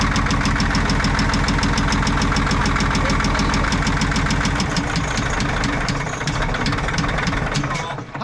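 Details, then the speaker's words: Caterpillar 977L with a 10.5L CAT diesel that knocks despite good oil pressure: rough, uneven idle with a loud, fairly regular knock about three times a second. Little oil reaches the exhaust-valve rockers; head removal planned, cause not confirmed. "boy she sounds rough that that I think he's got to pull the head off next"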